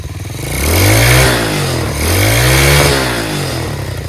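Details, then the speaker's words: Chinese Tao Tao 125cc single-cylinder ATV quad with new carburetor, idle screw adjusted: revs up smoothly twice on throttle and settles back cleanly, no misfire, knock or clatter; normal running. "how about it fellas running on its own dude it's quiet huh really quiet sounds great"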